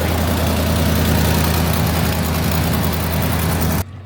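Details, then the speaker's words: 2008 Ford F-350 with 30,000 miles, auction truck: deep, even idle with a steady low rumble, no knocks or misses; engine sounds healthy with no leaks seen. "The runner. Finally, we got a good truck in here. It sounds good. There's no leaks. Finally."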